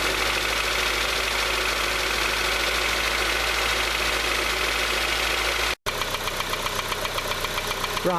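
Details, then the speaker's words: Honda CR-V petrol, engine warmed up at slow idle: steady knock about four beats per second that suddenly developed; not from serpentine belt, not louder at oil filler; owner suspects tappets/valve clearance, unconfirmed. "the engine has slowed down it's warmed up and you can hear that knocking now"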